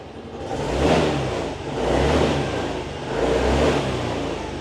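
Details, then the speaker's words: 2023 Yamaha Grand Filano Hybrid scooter, one owner, all-stock engine and stock exhaust: three clean throttle blips rising and falling smoothly, no stumble or rattle, no white smoke; normal revving. "คราวนี้ลูกค้ามาลองฟังเสียงท่อกันเสียงท่อรถเดิมๆนะครับเดี๋ยวจะลองเร่งเครื่องให้ฟังเสียงได้ชชัดเจนขึ้น"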